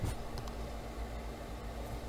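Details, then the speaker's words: PC graphics card fan set to 100% in MSI Afterburner: steady, even whir with a faint constant hum underneath; cooling fan running at full speed, noticeably loud. "Evet şu an bu ses çıkaran şey fan"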